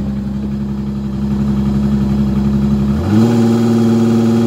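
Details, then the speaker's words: 2018 Evinrude E-TEC 150 outboard on ear muffs in forward gear with aftermarket Uflex cables and about an inch of throttle slop: a steady drone jumps up in pitch and races on a tiny lever movement, then holds; RPM surge from a sticky throttle. "just very touchy you can hear racing"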